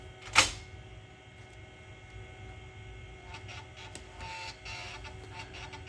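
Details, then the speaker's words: Macintosh SE, 30+ years old, powered up after replacing its original Varta clock battery: sharp click at disk insertion, then soft irregular stepping and whirring as the floppy reads system disks. Normal, healthy floppy access. "let's see the power disc is spinning up and it's accessing her that's still flopping oh that is a hard drive nice oh maybe i am wrong"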